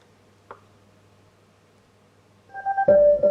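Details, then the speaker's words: Harman Kardon Go Play Bluetooth speaker powering up after its over-discharged lithium battery pack was reactivated with a 7.2 V source; quiet hiss, then a clean rising startup chime, pairing with the phone normally. "and it does there you can hear the startup tune and it's synced to my phone very nice"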